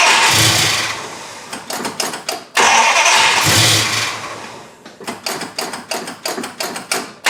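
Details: 1974 Dodge Charger V8 started after sitting two years, carburetor base gasket missing, brake booster port capped: catches and roars, then stumbles with uneven bursts about three a second, never settling; rough running, likely from vacuum leak at carb base.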